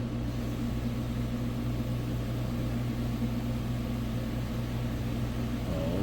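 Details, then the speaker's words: Samsung front-load washer after replacing all four shocks, heavy load of wet clothes on Rinse and Spin, high, near the 7-minute mark as high-speed spin begins. A steady low drum rumble and motor hum, even and without thumping, with only slight bounce; normal spin. "crap I think we got it see the water right there piling in from the highp speed spin if we surpass 7 minutes we will be golden"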